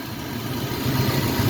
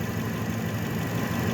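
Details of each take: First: Truck engine at idle, belt system with power steering pump, idler pulley and alternator: low, rough growl running steadily underneath, no knock; alternator bearing growl. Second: Truck engine after belt system repair (power steering pump, idler pulley, alternator), now charging with belts running true, idling then light throttle: smooth, even low rumble with no squeal, chirp or knock; running healthy.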